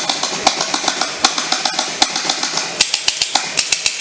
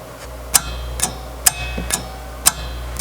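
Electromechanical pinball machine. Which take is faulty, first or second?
second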